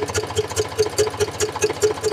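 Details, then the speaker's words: Eicher 485 diesel tractor with white smoke and starting problem: sharp even metallic ticks about five per second over the idle; valve tappet ticking, tappets tight. "की आवाज सुनाई देती होगी यह आवाज का मतलब है कि इसका टाइट है वह कुछ भी नहीं है ओन्ली स्टेप टाइट है"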